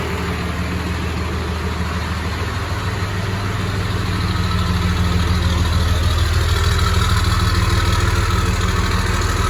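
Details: Cummins diesel swapped into a 1996 GMC 3/4-ton Suburban with an exhaust brake, restarted after sitting about 3 days, air compressor running: a steady, even diesel clatter at idle with no misses or knocks; the engine sounds healthy.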